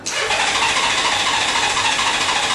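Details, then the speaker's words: 1997 Honda Goldwing, fuel system cleaned a month ago, now won't start on month-old fuel suspected to have gone bad; tried with choke, then without, battery weakening, before adding fuel additives. Steady starter whirr with no firing: crank no-start. "You can hear it doesn't want to start."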